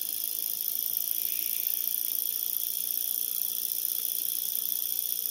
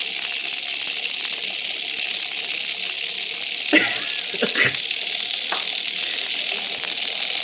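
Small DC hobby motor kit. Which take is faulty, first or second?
second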